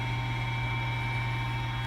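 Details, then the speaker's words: Gas fireplace blower fan motor in a house during a Canadian winter, blowing warm air; steady low hum with constant whirring drone and airy rush, no speed change; blower sounds worn and noisy. "पंखे की मोटर [संगीत] सुनें कि यह यहाँ से गर्म हवा उड़ाता है"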